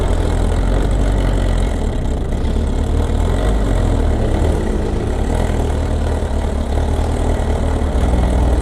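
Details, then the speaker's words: Kawasaki ZR7S, about 60,000 km, stock, idling at the shop the next morning; loud steady idle with dense metallic clatter over the low rumble, unchanged, possibly from the cam chain area; auto cam chain tensioner fault suspected but unconfirmed. "おはようございます。まあ相変わらずやかましい音が治らなくて、何しか乗んなかったらね、なんか消えてってくれる。"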